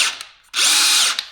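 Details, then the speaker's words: DeWalt cordless drill from a lot of three, just reassembled after a Vessel-brand tool shattered on the tight left-hand-thread chuck screw, before the chuck is refitted. A short high whine ramps up, holds steady and winds down cleanly with no grinding or clicking. A healthy drill motor running forward and backward. "All right. We got it. We got it back together. Now we can go forward, backwards,"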